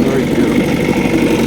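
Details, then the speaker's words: 1965 Evinrude Angler 5 hp (actually 6 hp powerhead) direct-drive two-stroke outboard, no gearbox, after major refurbishment: starts straight up and burbles at a steady, even idle with no misses or knocks, pumping warm tell-tale water; healthy. "here we are beautiful beautiful idle on it pupping water pupping water out there"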